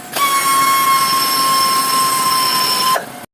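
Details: VW Gol generation 5/6 with the EA111 engine: loud, steady high squeal of about three seconds from a slipping poly-V accessory belt; worn pulley tips bottom out in the belt grooves.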